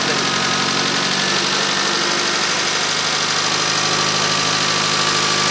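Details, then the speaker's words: Fiat Uno Turbo restarted after 16 years in storage: small four-cylinder ticks over at a steady, even idle with a smooth exhaust note and no knocking, sounds healthy though smells a bit rich; normal idle. "sounds all right that sounds really sweet [Music] it smells a bit rich though"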